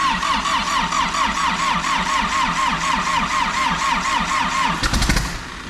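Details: Rolled diesel backhoe engine, first start attempt via remote starter switch on starter wire that triggers the fuel solenoid: steady cranking about two compression pulses a second with a rough cough near the end, then drops off; turns over but doesn't catch.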